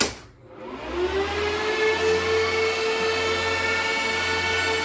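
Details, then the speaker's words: ASIC crypto miner fired back up: fans spin up in about a second to a loud, steady high-pitched whine holding even; fans running normally at full speed, louder than it sounds on video. "so as you can hear it's really loud [Music] so i have no idea how well that translates on a video but just know it's louder than you think"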